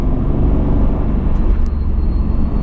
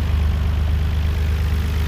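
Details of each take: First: 1991 Nissan R32 GTR with an RB26DETT engine, road test after oil pressure repair, cruising and now making about 25 psi: over steady road roar, a thin, high, airplane-like whistle slowly climbs in pitch. Source not identified. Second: Even, steady idle with a smooth fast pulse and no knocks on a 1991 Nissan R32 GTR (RB26DETT) checked for low oil pressure. It shows about 2 bar while driving with no leaks, so the oil pump is judged good.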